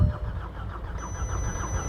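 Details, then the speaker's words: VW Golf GTI Mk6 auction car, jump-assisted from a van, during compression-test checks: quick even cranking about six beats a second with uneven compression pulses, won't catch; red oil pressure light; cause unconfirmed — cranks but no start. "Should have started by now, but h bit bit weird."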